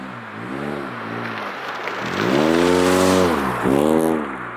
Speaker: hopefully the fans turn on and hopefully you guys will be able to hear the rasp from the exhaust a little bit better